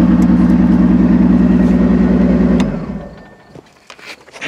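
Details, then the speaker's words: 2002 Ford Taurus demolition derby car after its third derby, idling without coolant: a lumpy, uneven idle stumbling about three times per second before shutdown; it runs on five cylinders, with one spark plug boot melted through. "running on 5 cylinders, and honestly, it's not that noticeable to the ear that it's on 5 cylinders. And that is exactly how it sounded last night when I loaded it."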